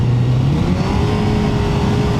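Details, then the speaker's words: Suzuki GSX-R1000 K1, riding in sixth gear under hard throttle: steady drone with revs creeping up but no pull; clutch slipping, owner unsure if adjustment or plates, after he'd been messing with the clutch pin. "yeah that's slipping that clutch is slipping so I don't know whether it's clutch adjustment or CL the clutch plate no might look it'll be new clutch could be just the clutch adjustment here"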